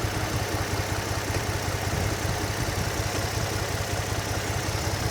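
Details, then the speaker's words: Nissan 350Z after donor engine swap, first start, revved then idling: uneven lumpy idle with irregular low thrum, misfiring, check engine light on; cause not yet scanned. "Doesn't sound too happy. Do you have any warning lights? Oh, yeah, we've got a check engine light."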